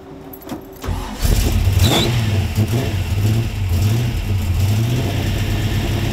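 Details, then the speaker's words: 700hp supercharged Pontiac V8 in a 1974 Firebird, after new pushrod, fuel filter change and exhaust leak fixes: brief crank, catches and settles into a loud, deep, lumpy but even idle; sounds normal. "Sounds pretty good to me. - Sounds good! - Yeah, she's sounding real good."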